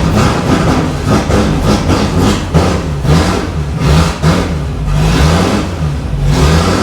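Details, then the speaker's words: Range Rover Classic V8, revived after 7 years and running poorly: with the mass airflow sensor unplugged it revs up and down and takes throttle better, so the MAF sensor is faulty and needs replacing. "That's better. See, it's better without that plugged in, which means that's crap."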